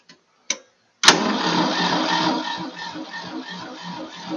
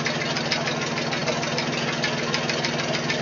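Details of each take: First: 1966 Ford 3000 tractor after a carburetor rebuild: the starter churns unevenly at about two or three turns a second without catching. The carburetor bowl is dry, and it is being cranked so the fuel pump refills it. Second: 1966 Ford 3000 tractor after a carburetor rebuild, fixing a fuel leak and half-choke running. Steady, even idle with a soft patter around 80 per minute, no misses or leaks; normal.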